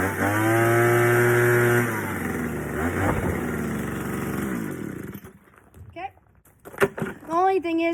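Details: Troy-Bilt Jet Technology two-stroke blower after carb clean, new fuel lines, gas leak addressed, tune-up: revs up, holds steady buzz, throttles down unevenly with slight roughness; owner says tank slop may still affect running.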